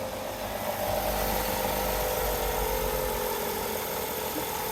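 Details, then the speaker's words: 1994 Ford Escort just after an oil change: brief clatter on startup as oil filled the new filter, then a steady even idle hum with no clatter or ticking; engine sounds healthy. "sounds good she claded for a second as the oil went through that filter and then Charmed right up"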